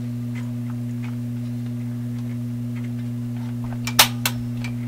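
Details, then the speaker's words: Loewe Opta Type 5966 radio with new power-supply capacitors: constant loud low 60-cycle hum from the speaker with clicks, hum on the B+ line, same on FM, far less on stereo, not volume-related; owner suspects a shorted tube, source unknown. "It's a 60 cycle hum. So, you know, that sounds like a shorted tube."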